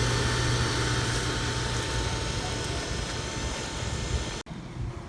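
A steady motor hum with a faint constant tone but no sound of water moving through it; the pump needs priming.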